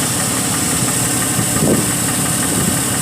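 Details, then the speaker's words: Car with no heat and suspected bad head gasket, at idle: steady idle with a loud hiss over an uneven low pulse and a brief thump midway; running rough. Stored codes include MAP sensor circuit high and oil pressure switch circuit. "it definitely sounds like it's running a rough"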